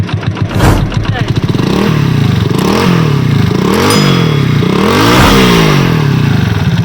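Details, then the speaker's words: Honda CD 70 after engine noise repair with new chain-side parts and tensioner rubber: single-cylinder revs up and down cleanly through several blips, no chain rattle or ticking; engine now quiet, normal revving. "अब engine इसका बिल्कुल खामोश हो गया"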